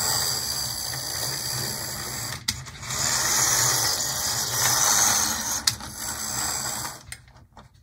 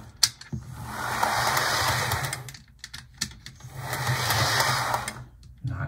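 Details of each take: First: PlayArt HO model locomotive drive: high, buzzy whirring that cuts in and out; the whole gear set is noisy and looks very dry, and the owner suspects slop between the teeth, doubting lubrication would help. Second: HO model locomotive with pantograph and an 8-pin plug but no DCC decoder, after earlier stuttering: small motor whirs evenly with a faint high whine, in steady passes with no stutter or catching; running smoothly.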